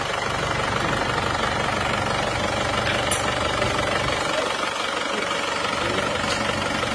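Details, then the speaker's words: Isuzu Panther pickup diesel after repair for blow-by: quick even idle clatter around four beats a second, no misses or knocks; runs very smoothly. "Oke bunyinya seperti ini ya halus suaranya halus Gak rugi baru karena ternyata halus banget"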